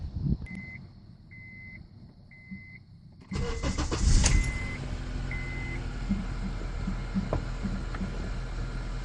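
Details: 2003 Honda Accord 2.4 a couple of days after cleaning the idle air control valve: dash chimes, crank, brief rev flare, then steady idle; surging idle fixed.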